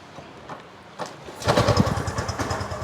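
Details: Yamaha FZS V3 with weak battery, self start failing, started on double stand in third gear by pulling rear wheel: quiet with no starter whir, then engine catches into lumpy idle; bump start due to weak battery.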